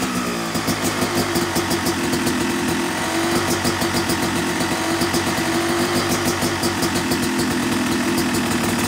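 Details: Yamaha YZ250 two-stroke motocross bike (270cc/250cc), break-in after full engine rebuild (bottom end, transmission, bearings, clutch, power valve); crisp rapid ring-ding idle with even firing and a light throttle blip; normal, healthy.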